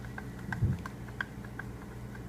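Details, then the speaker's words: 2005 Mercedes W163 ML500 (M113 V8), belt and pulley off, old water pump shaft rocked by hand: quiet irregular clicks from play in the worn bearing of the possibly original Mercedes pump; pump on its way out, being replaced. "hear that so this water pump was definitely on its way out might have been the original"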